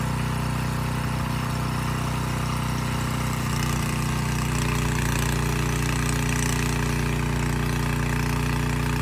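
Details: Abandoned Powermate generator, no AVR, running without load: steady drone at one speed, firm low hum, no knocks or hunting; voltage adjusted from about 135 V to 130 V, normal idle.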